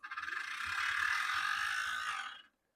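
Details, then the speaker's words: HO scale Athearn Bluebox Burlington Route GP35 bought from an eBay lot, previously seized, now just freed and run under power in both directions: harsh high-pitched gear grinding that swells with power; drive line fault, owner suspects one truck turns and one doesn't. "So, that does not sound good. Let's try it the other way. [screaming] That really doesn't sound good. So, I'm thinking maybe one of the trucks is moving. Maybe one of them isn't."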